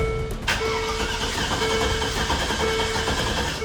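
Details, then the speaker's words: Abandoned 2003 Land Rover Discovery 2 after new inertia switch: fuel pump still not heard at ignition, starter cranks steadily but engine never fires; crank no start, later started with throttle and starter fluid. "Even after fully cranking the engine, we still no luck."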